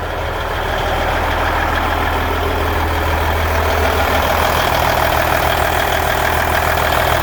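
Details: 1999 Volvo VNL 610 with Cummins N14 diesel at idle: steady low rumble with a regular tap about 200 per minute riding on top; unexplained abnormal idle noise.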